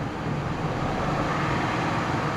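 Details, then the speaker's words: Auction car with 79,000 miles, running on a booster pack with the battery light on and the alternator apparently dead: smooth, even engine roar through a light rev, no knocks, ticks or misses; engine sounds healthy. "I mean, the engine sounds healthy."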